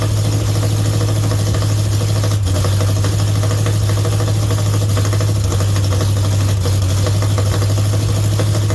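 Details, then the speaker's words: Mopar 400 big block for a 1964 Dodge Polara 500 on a run stand, at start-up after the timing was advanced slightly. The idle is deep and heavy with an uneven, lumpy beat, as if a cylinder drops out now and then. A misfire is suspected but not confirmed. "It sound like it may have been missing a bit to me, too. I could kind of hear something in there."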